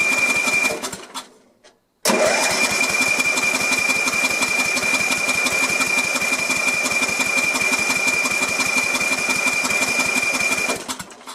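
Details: Sears LT1036 lawn tractor Tecumseh engine, sat at least two years, with very weak spark and carb cleaner sprayed in: steady rapid cranking about three turns a second with no cylinder catching; cranks but won't start.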